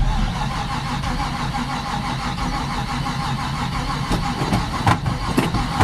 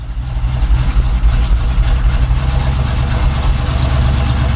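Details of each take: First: Chevy K10 pickup with new carb and intake, unstarted about 1.5–2 months, cold January day around 20 degrees; sluggish, uneven slow cranking, owner suspects unhappy battery, unconfirmed. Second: Chevy K10 pickup with new carb and intake and mechanical fuel pump, first start in about two months at roughly 20 degrees; deep, throaty V8 rumble at raised, slightly lumpy cold fast idle.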